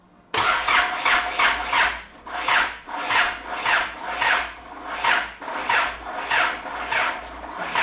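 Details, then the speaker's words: Isuzu 4JJ1 diesel swapped into a Nissan Patrol, first start attempt with fuel pump fuse pulled: slow, labouring, uneven cranking sagging after three to four turns; owner suspects weak battery or starter, hopes transmission not locked. "it wasn't cranking very fast then so I'll try and uh put the jump pack on it hopefully that was the battery"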